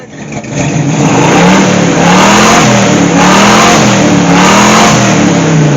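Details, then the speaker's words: AMC 290 V8 in a Gremlin after repairs, revving: several clean, even revs with the earlier under-hood rattling gone. It runs better than ever but still smokes and leaks oil. "sounds awesome all right things running better than it's ever run"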